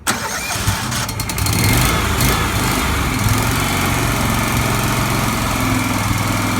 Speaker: it starts right up and you're ready to start chipping, you engage the blades.